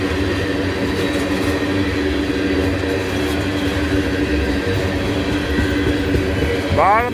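A steady, rough growl runs under the rolling wheels instead of a smooth hum, typical of rails left grooved by grinding.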